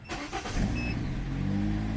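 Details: 2013 Kia Cerato 1.8 automatic with a no-start, suspected fuel problem: with the fuel pump bypassed and powered from a jump starter, it cranks briefly, catches and settles into a steady, even idle, so the pump works.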